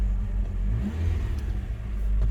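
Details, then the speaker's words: Rover idling with the cooling fan's sensor unplugged to test the fan: uneven, wavering low rumble and no fan whir; the engine runs rough unplugged and the cooling fan does not come on. "It's not running as it should do without the thing being plugged in, but the fan isn't kicking in at all, as you can hear, as you can see."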